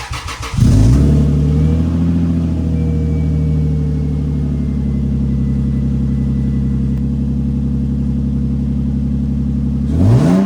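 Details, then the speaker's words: Lexus on stock headers, cold start before a Flashshark header install; settles to a fast cold idle with a raspy, gritty exhaust note from a hole in the bottom of the exhaust; exhaust leak. "I'm going to give you guys a little clip of the exhaust and what it sounds like with stock headers with the gritty exhaust with the hole in the bottom"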